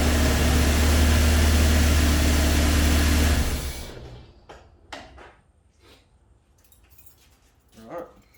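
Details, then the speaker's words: Toyota Hilux after fuel injectors were removed, cleaned, flow tested and refitted: starts and runs with a steady, even low hum, no misses or knocks, before shutting off; normal start and idle after the injector work. "sweet she runs thanks for watching uh we'll catch you in the next one"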